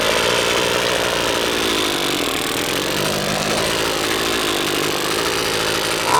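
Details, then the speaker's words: Husqvarna two-stroke string trimmer after its carburetor was disassembled and reassembled (diaphragms serviced), tested with the air filter off: buzzes along at a steady high speed without surging or dropping out. Normal running after repair. "a okay I think that's got it I think that's got it"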